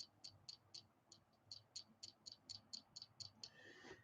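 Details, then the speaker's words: Boker Plus Baby X pocket knife, clip held still: sharp, high, tinny clicks about four times a second with each shake; something loose rattling inside the knife body, not the clip. "It's got a rattle. And I'm actually holding the clip. So it's not the clip that's rattling. It's something up there."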